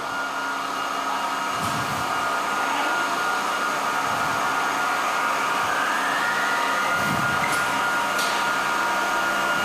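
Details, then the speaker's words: 1924 Alexanderson alternator VLF transmitter (SAQ, 17.2 kHz): cooling fan number one starts with star-delta control, then the air inlet opens. A steady airy rush rises smoothly as air blows into the high-power relays. Normal fan startup. "So the fan is also started with a delta y control. And now he also open the inlet of the air. And now we can hear the hissing noise from the air blowing into the relays, the high power relays."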